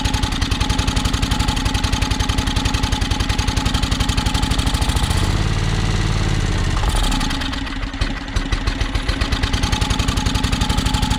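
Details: John Deere X485 mower, fresh gas, plugs checked, battery nearly dead; fast uneven popping beat that surges, sags and stumbles; owner suspects fuel starvation, maybe air pressure related; rough running.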